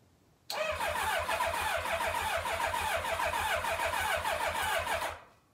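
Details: 1990 Kawasaki ZX-7 Ninja on test tank after long storage: even rapid starter whir with regular compression pulses for about four seconds, never firing; cranks freely with oil pressure but won't start.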